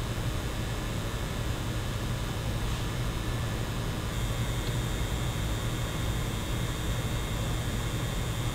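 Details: PlayStation 5, microphone 10 cm from console: steady faint fan hiss with thin high electrical whine coming in partway; coil whine, louder with GPU at 100% and higher frame rates, harmless but annoying.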